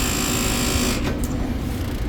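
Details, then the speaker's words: Brand-new refrigerator plugged in: loud, steady low buzzing rattle from the condenser fan motor vibrating out of balance. "uh that's coming from the condenser fan motor that's not a good"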